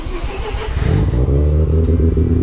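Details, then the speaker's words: RX7 rotary cold start after sitting a couple of weeks, running E10 fuel; brake vacuum pump audible; it catches quickly into a steady, strong low rumble with no misfire; slightly smoky from settled two-stroke oil; healthy. "not bad. A couple of weeks not starting, a little bit smoky from the two-stroke oils settling in. But yeah, she runs so bloody well, this car."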